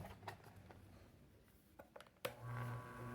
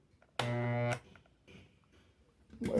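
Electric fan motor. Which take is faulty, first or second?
second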